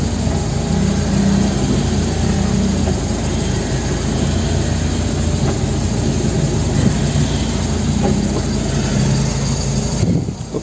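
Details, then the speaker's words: Manual-transmission car at idle with a dull rattling drone from the bellhousing/transmission when the clutch pedal is released, disappearing when pressed; clutch or release bearing noise indicating a fault in the manual transmission system. "jadi kali ini yang terjadi adalah ketika diinjak suara berisiknya hilang dan ketika dilepas ada suara berisik dari transmisi atau bunyi dari kopling"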